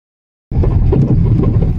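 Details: Deep, hollow drum-like booming under the car when driving on a cement road; owner suspects a worn shock absorber mount, with replacing it given as the fix. Cause not confirmed.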